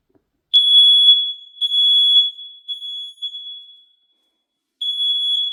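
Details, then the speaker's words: Smoke alarm test in a new home; loud, piercing high-pitched beeps in bursts with a pause; interconnected alarms all sound together when one goes off, working properly. "as you see it went off all right and all of being activated at the same time when one goes off all go off"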